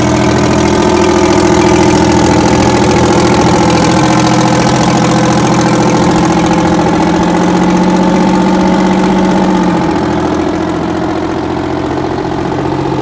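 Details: 60-year-old Massey Ferguson 98 tractor with factory Detroit Diesel GM 3-71 two-stroke engine, after significant restoration: steady, even two-stroke diesel drone at about 200 beats a minute, no knocks or misses, normal running.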